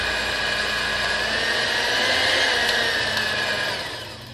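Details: Maspion hand mixer, previously very rough-sounding, after reassembly and rework: even, steady high motor whir with no rattle or roughness as it spins down; now running smoothly.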